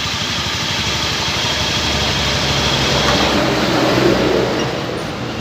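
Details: Honda Scoopy scooter, pulley/CVT cover removed and engine run to locate a rough buzzing noise; coarse steady buzz and rough growl over idle, swelling slightly with revs. Worn crankshaft bearing, engine needs full teardown and bearing replacement.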